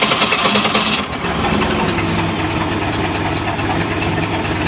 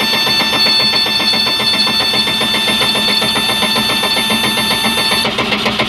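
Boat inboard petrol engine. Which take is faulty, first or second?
second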